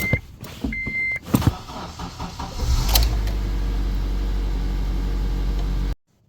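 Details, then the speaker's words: Manual-transmission Honda that occasionally won't start: key held in start, clicks and chimes with no cranking on the first clutch press, then it cranks on the second press and settles to steady idle. Owner suspects a sticky clutch-pedal sensor, unconfirmed. "So I think you saw that, how it didn't engage on the first press of the clutch, but it did on the second."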